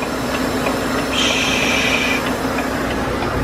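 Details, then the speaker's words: New Volvo truck with iShift, about 42,185 miles, idling with a new trailer: a steady high hiss for about a second from an air leak at the trailer air valve, which is about to be replaced. "Такие вот дела, и вот тут шипит. Слышите?"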